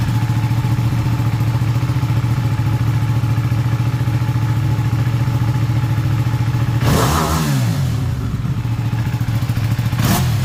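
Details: Ducati 959 Panigale race bike with a crank-no-start and misfire fault, idling after a part was cleaned as an experiment. A steady, lumpy twin beat with one throttle blip near seven seconds, then it settles back evenly, a normal idle.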